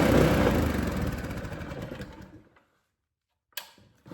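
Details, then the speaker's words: Predator 212 go-kart engine bought used after sitting two years in a shop, now started; small single chugs evenly at a brisk pace then winds down smoothly and stops: normal running. "And that is how you buy a cheap motor off of Facebook Marketplace and get her ripping."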